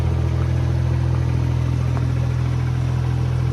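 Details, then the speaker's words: Geo Metro three-cylinder at idle: a steady, even low thrum with no misses, knocks or ticks and no smoke; it runs smooth and quiet, though a little loud, possibly from a performance muffler. "the car runs good can't complain about that engine's quiet"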